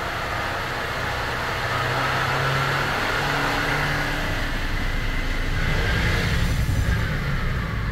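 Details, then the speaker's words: Honda Element in fifth gear at light throttle, with a faint steady whine over road rumble; first to fourth gears quiet, transmission whine only in fifth. "los primeros cuatro todo bien pero quinta Ahí está quinta no estoy acelerando un poco"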